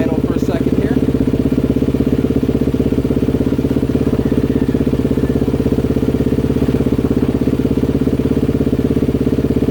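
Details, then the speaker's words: 2020 Honda CRF250R single-cylinder engine after a full rebuild with new crank and piston, first test fire before refitting the plastics, clutch pulled: fast, even thump at steady idle with no knocks or misses; normal idle. "let me at least just give it a test fire before I go any further in case I got to dig in and find an issue somewhere"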